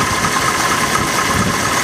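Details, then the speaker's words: 1991 Mercury Grand Marquis idling after an oil and filter change to 20W50 with a quart of Marvel Mystery Oil against sludge: smooth, fairly quiet idle with a light steady tick remaining, much reduced; cause unknown. "I can still hear a little bit of noise, but it's not very much."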